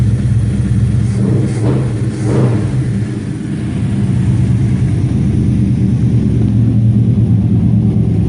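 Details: 1954 Chevy 150, warm, with timing and carburetor set: deep, even rumble swelling smoothly as throttle opens and settling back, no knocks or misses; healthy engine revving.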